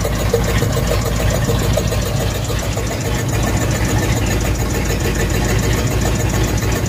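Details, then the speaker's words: Ford/Mercury flathead V8 just after first getting it running: lumpy, uneven idle with soft rhythmic huffing like a dead cylinder; two stuck valves, found by pulling plug wires, later freed with lubricant in the cylinder. "okay well we had a viewer comment on the fact that it sounded like one of the valves was stuck and so you could hear the huffing almost uh on the one video"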